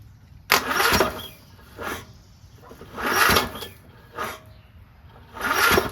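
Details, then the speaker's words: Briggs & Stratton single-cylinder lawn tractor engine after new head gasket and crankshaft/sump cover repair: starter groans in heavy bursts a second or two apart, barely turning it over; owner suspects compression now too high or weak battery. "Man, compression's too good now."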